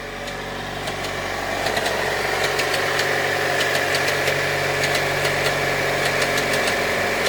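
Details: Opel Astra G 2.2 engine: steady idle with a light, fairly regular tick about three times a second over the engine; cause not identified.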